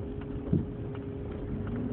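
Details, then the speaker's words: 2003 Envoy driven over potholes: a dull thump then fainter knocks from the passenger-side front during right-hand turns, felt under the floor; left turns usually quiet. "Got 3 good knocks on that one. Some more potholes here, which it is clunking a little bit with the potholes, so I'll hush now."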